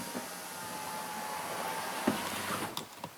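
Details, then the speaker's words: 2008 Chrysler Town and Country, no power windows or locks from driver's door, interior CAN fault: window motor whirs and door clicks in short, uneven bursts; driver's window works only sporadically, no consistency. "And I think when the driver's side window here starts to work, so yeah, there's really, like I say, I think it's just purely coincidence when that,"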